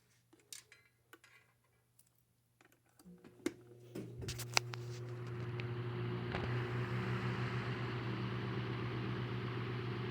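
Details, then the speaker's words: Westinghouse antique Debonair 16-inch 3-speed fan, cage missing, blades temporarily screwed to hub, started on high before oscillator test: a few clicks, then an even low hum settling into a smooth steady run, no rattle or bearing noise; motor and bearings healthy. "There's a smooth running fan, and moves a lot of air."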